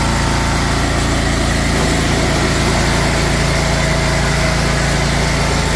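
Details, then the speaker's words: DuroMax XP23HPE 713cc engine after new exhaust muffler installed, started with choke on and clutch down: loud, steady, fast exhaust beat with even rhythm, no stumbles or rattles, sounding better than before; normal idle. "There we go. I think that sounds way better."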